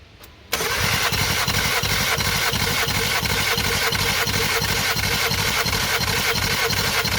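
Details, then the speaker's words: 2018 VW Golf R with 242,000 km, compression test on cylinder three: steady, even cranking at about three pulses a second, almost 11 bar; healthy compression. "yeah okay almost 11 bar okay okay as soon as more than 10 bar we are happy we're good"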